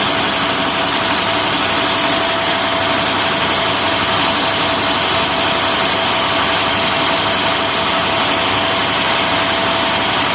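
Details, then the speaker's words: Trash truck diesel, neglected 3 years, during maintenance; steady even high-idle roar with no knocks or misses, speed holding constant; healthy at high idle. "Oh, you'll hear that I had it at high idle."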